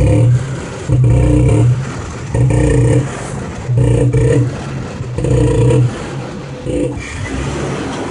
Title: Jeep Wrangler making knocking noise